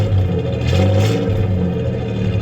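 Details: 1993 Ford Ranger 3.0 V6 at idle: a low, lumpy idle with an uneven, stumbling exhaust pulse, as one cylinder drops out. The owner suspects cylinder 3; unconfirmed.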